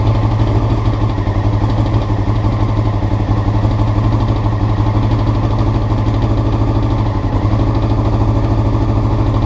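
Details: Honda CBR motorcycle before changing carburetor float needles: idle with a pulsing, slightly lumpy exhaust beat and a brief dip near the end; rough idle, cause not confirmed.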